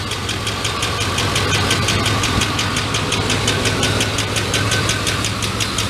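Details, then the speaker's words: GMT400 truck with a rough idle and sharp ticking about three per second after long cranking on old, bad gasoline; the oil is clean and pressure okay; a lifter tick, later traced to a worn cam lobe/lifter on the #3 intake valve. "i think i blow up my engine that's awesome all right now i gotta buy an engine now the lifter dude this is a lifter noise the oil is super clean"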